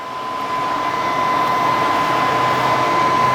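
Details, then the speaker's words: Thermodynamics plasma cutter after replacing faulty 220 V plug, after test cuts: steady high electrical whine with even airy cooling-fan rush, no sputter or cut-outs; normal running. "Seems to cut good. So we will call this good."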